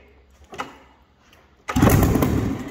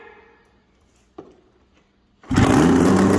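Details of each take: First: 2000 Yamaha SRX700 three-cylinder two-stroke triple snowmobile, non-runner fixer-upper, brake cleaner sprayed in for starting; quiet pull, then catches at about 1.7 s into a loud buzzy run, fires and runs briefly. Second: 2000 Yamaha SRX700 three-cylinder two-stroke triple snowmobile, non-runner fixer-upper; quiet, then loud ragged roar for about two seconds that fades, sputters and won't keep running.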